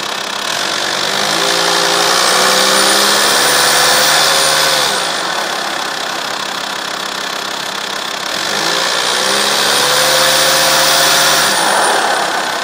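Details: TDI diesel idling steadily with a sharp metallic ticking layered over it, rising and falling in waves; strange noise, source not pinned down.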